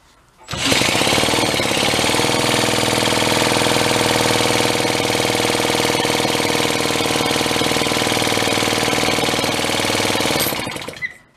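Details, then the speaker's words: Pre-war Elgin cycle engine stored 45+ years, drill-cranked after a shot of fuel down the throat: fast even chuffing at about four beats a second, puffing smoke but no firing; cranks but won't start, owner suspects too weak a spark. "nothing. I think we found out why it might have been put away."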